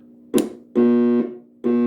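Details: 1965 Northern Electric TeleTrainer two-line phone simulator for Bell Canada, heard through its built-in monitor: a steady buzzy tone in half-second bursts with short gaps, clean and even each time; the tone generator and monitor are working.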